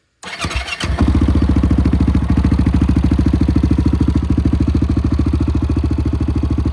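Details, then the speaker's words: 2008 Honda TRX700XX fuel-injected ATV, just reassembled with new flywheel and stator, in neutral: quick start settling into an even, steady thumping idle, running smoothly — normal start and idle. "Battery is a tight fit in there so I installed that flywheel stayed her put it back together and she fired right up sounds pretty good go ahead and listen to this baby purr fuel injected"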